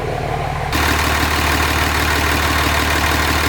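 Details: 2005 common-rail Cummins diesel in a 2008 Ford F-350 dually, warming up (93 degrees, for head stud retorque): steady idle clatter about three beats a second, no knocks, misses or exhaust leaks; healthy.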